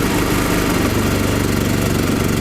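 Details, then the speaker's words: Chinese small generator converted to propane, mixture enriched by screw, loaded with a 2 kW heater: engine labours with uneven heavy firing, pulling 2 kW but choking on an over-rich mixture. "он тянет 2 кВт но слышно что он захлебывается"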